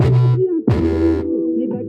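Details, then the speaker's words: Car audio subwoofer (TR 620 dry cone), tweeters off, bass only: heavy bass notes at raised volume set off a raspy buzzing scrape like the speaker rubbing, from a loosely joined subwoofer box. "Não é que dá aquele grave pesado que você aumenta o volume, ele dá um barulho aí, tipo se fosse o alto-falante raspando ou algo do tipo."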